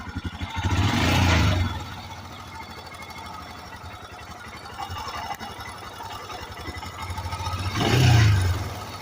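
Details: Royal Enfield Himalayan BS4 single-cylinder motorcycle engine ticking steadily at idle, growing louder with two throttle blips: tappet noise from the valve train.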